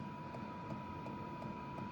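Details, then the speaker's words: BougeRV portable diesel heater about five minutes after start-up: steady blower hum, blowing harder, with a very faint evenly spaced fuel pump tick that has mostly gone away; heater starting up normally. "And you can hear this thing, you can start to feel it. It's blowing a little harder."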